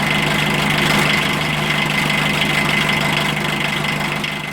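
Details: 1980 VW Rabbit MK1 1.5L diesel just after timing belt replacement, belt tension possibly a little tight: steady idle with even clatter at about three and a half knocks a second, smooth and settled; nothing abnormal.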